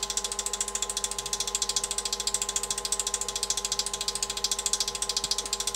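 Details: Lathe at full power with sandpaper mounted in the chuck, recorded on a smartphone before a speed-control test: a fast, even flutter of paper slapping about ten times a second over a steady motor hum; normal running.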